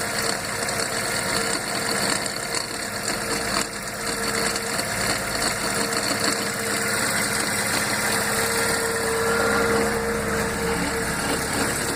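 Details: Fiat gearbox cold: steady hum with faint bearing-like whine over idle that disappears once warm; five mechanics called it normal; fixed by changing gearbox oil and adding a tube of Molykote.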